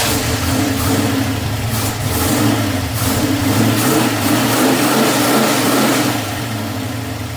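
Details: 1989 Ford Mustang with a 351 Windsor V8, warming up: deep, steady V8 burble with an even beat and a small throttle blip; clean normal idle, no knocks or misfires.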